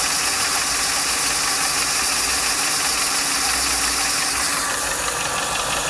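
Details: 1995 Lincoln Mark VIII LSC, Ford 4.6 DOHC V8 at idle: light, quick tapping about three per second over a hissy background; owner unsure if it is lash adjuster tapping or piston slap or rod knock.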